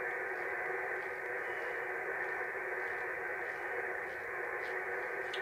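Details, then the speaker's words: Shortwave receiver tuned around 29 MHz with operator's soldering iron switched on nearby: steady rough hiss across the speech range with no signal beneath; radio interference from the soldering iron. "shows how dirty modern electronics is, doesn't it? You know, you turn your soldering iron on, it does that."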